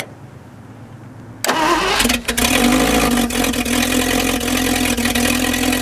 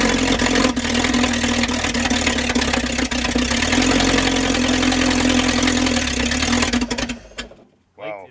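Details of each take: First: Straight-8 (Packard or Buick, pre-1955) engine revived after valve and seat grind, cold day: catches after short crank, settles into fast slightly uneven smoky idle; idle set too high, being dialed down. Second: Straight-eight engine (Packard or Buick type, pre-1955) after valve and seat grind, primed and started: catches and runs with an even, rapid firing beat, sounding like all eight cylinders fire, then shuts off.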